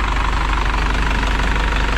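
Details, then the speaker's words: 2000 Isuzu NPR turbo diesel, abandoned truck restarted after a year with new batteries, fuel filter dry, nothing leaking: typical light diesel clatter over a deep, steady idle with no misses or heavy knock; normal diesel idle. "that all looks good like i said the motor sounds really good"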